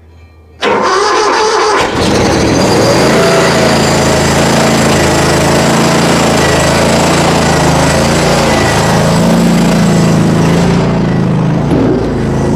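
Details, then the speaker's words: Mower, cold start at about 30°F after 5 months sitting on untreated ethanol-free fuel, choke out, full throttle; owner suspected a dead battery or heavy smoke. A short crank, it catches first try and runs steady, smoking slightly then clearing: healthy cold start. "running good okay so it started great it did smoke just a tiny bit which is fine it cleared out"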